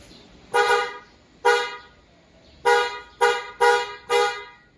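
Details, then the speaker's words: Replacement for a stock vehicle horn, wired through a harness, relay and fuse, tested after install: six short, clear, bright, steady mid-pitched honks with no rasp; sounds good. "So, ang ganda ng tunog."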